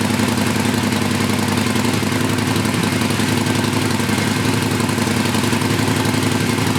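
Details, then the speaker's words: Used Harley Sportster started after a stock exhaust was fitted in place of Vance and Hines Short Shots. The heat shields are not in place, so a loose metallic chatter rides on every beat of the lumpy V-twin idle. "Rattled like crazy because the heat shields aren't in place, but we're good."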